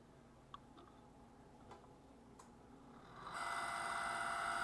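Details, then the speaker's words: Electric fireplace fan: pressing on the fan and releasing it starts a few light clicks, then a steady high whistle that holds. The cause is a dry, sticking sleeve bushing in the fan. "so you put some pressure on this fine take your finger off and it'll start the whistle"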